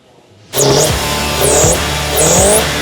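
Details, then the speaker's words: Chevy 350 V8 in a Land Cruiser, now started and running, revved three times: sharp pops as each rev drops; suspected flat cam, which this motor is known for, or ignition timing off, unconfirmed. "That popping is either you got a flat cam, which this motor's famous for, or your ignition timing's off."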